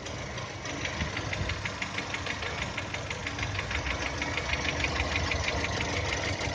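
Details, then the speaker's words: 2010 VW Touran 1.6 BSE, cold idle below 1000 rpm after two days parked: sharp regular ticking knock about three per second, seemingly from the left side, stopping above 1000 and as it warms. Rebuilt just over 15,000 ago: new pistons, valves, hydraulic lifters, bored block; cause unknown. "Ощущение, как будто откуда-то с левой стороны стучит."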